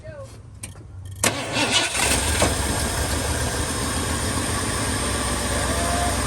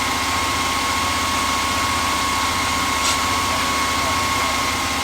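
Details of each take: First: 1978 Ford F150 that sat unrun for years, with old gas in it: starter cranks, the engine catches and runs rough for several seconds, then dies; it won't pick up fuel on its own, and the owner suspects the fuel pump. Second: 1978/79 Ford F150 V8 that sat for years, first start-up with some oil pressure, fuel from the rear tank and no coolant yet: steady even idle with a regular beat and no knocks or misses; normal idle before a bent pushrod occurred.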